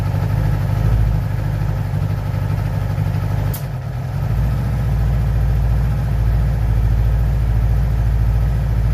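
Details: 2011 Yamaha R6 at idle: a steady but uneven idle with soft, irregular puffs and popping from the exhaust. The cause is not identified.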